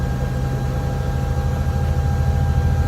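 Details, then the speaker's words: Volvo VNL 670 truck diesel idling: steady high whistle and rush of air over a deep rumble, seemingly from the turbo; driver suspects a vacuum/boost leak but found no broken hoses or loose clamps. "and the rush of air it's got a vacuum leak somewhere I don't know where the whistle sounds like it's coming from a turbo and it sounds like it's coming from the turbo and the vacuum leak"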